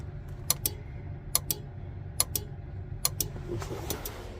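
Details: Versatile 2375 tractor, engine running, after replacing blown fuses: crisp paired ticks about seventy a minute over a low engine rumble as the turn signal flasher relay cycles normally.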